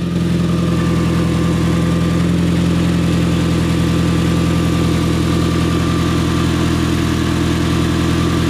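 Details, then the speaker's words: 2009 Mitsubishi Galant idling after catalytic converter replacement: no ice-cream-truck noise, but a steady, even puffing tick from an exhaust leak at loose flange bolts that still need tightening. "so let's start it up and see if the Stila sounds like an ice cream truck no it doesn't but it does have an exhaust leak"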